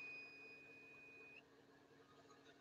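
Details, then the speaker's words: Truck cab: a thin steady high-pitched alarm as the inverter signals low power because the APU is not supplying it. "that's the inverter saying help me help me it should start the APU back up"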